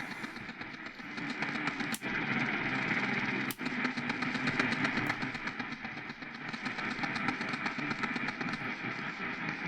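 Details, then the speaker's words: Sangean PR-D12 AM/FM weather radio on daytime AM, faint station: steady clicking about four per second with louder pops over hissy audio, slowing after a while; likely the AGC/auto signal-locking, a passive loop helps. Rhythmic clicking on AM reception. "Okay, so that little bit taking the hearing, yeah, definitely is something where it's trying to auto-lock or do something with locking the signal. And it stops after a certain amount of time, if you noticed."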